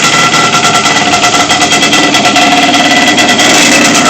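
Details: Yamaha Banshee two-stroke that was backfiring, hard to start and firing only one cylinder, run with the flywheel cover off after the fix: loud, crackly buzz holding steady and even, both cylinders now firing cleanly with no backfire; normal running.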